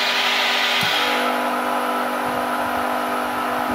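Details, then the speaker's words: Multipro 10 HP electric screw air compressor, digital control, filling the tank: steady, even, very quiet hum with constant high tones, no knocking or surging; normal running. "okay, the sound is more or less like silent, so it's very quiet."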